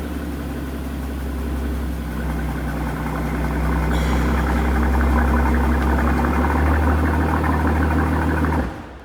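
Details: 2015 Mercedes-Benz S65 AMG after a full engine rebuild, first start with the exhaust fitted; rough rhythmic knocking under the idle hum until shutdown. Suspected cause: the replacement starter motor contacting the engine.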